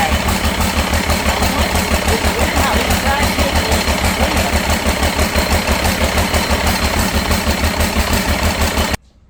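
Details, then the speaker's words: Cummins diesel for C40 truck, just reassembled after valve adjustment: heavy chugging pulses about three a second, lumpy with missed beats; briefly smoothed when an injector line was cracked then resumed missing; injector swap to test planned. "It's weird how he cracked it and tightened it up and it quit. Hell, it was running smooth. Yeah. And then it just went back to missing again."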